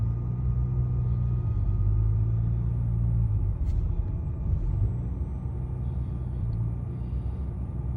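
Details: 2011 BMW 335i E90 N55 cold start: low, uneven idle, stumbling and wavering; stalls when very cold, runs fine warm, engine light on; a mechanic blames the high pressure fuel pump, not confirmed.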